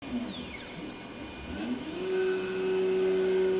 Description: It only grinds or vibrates when it's on the x axis. It sounds like it was coming from the bottom bearing.